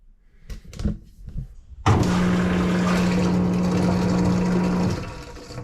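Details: LG WM2301 front-load washer after inlet valve replacement, first test run: click, then steady low drain pump hum with rushing water for about three seconds, stopping cleanly; drain pump running normally.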